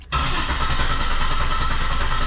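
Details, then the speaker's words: 1985 Pontiac 6000 wagon with swapped 3800 supercharged V6, just after fuel injector replacement: catches after a short crank and runs lumpy and uneven at idle, flooded after a leaking injector dumped fuel into cylinder three; left running to warm up and clear fuel. "or flooded. Definitely flooded. So, we're going to let it run for a couple minutes to warm up a little bit, clear some of that excess fuel out of there, and then we'll be able to tell if it's running smoother or not."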